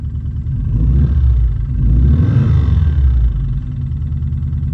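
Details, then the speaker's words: Subaru STI on its first startup after the build, with the exhaust off: engine revving with a low, uneven knock under the rumble. Owner feared rod knock; others suggest a belt tensioner. Not confirmed. "Is that rod knock? So after talking to a bunch of people, we're thinking maybe it's a tensioner, belt tensioner."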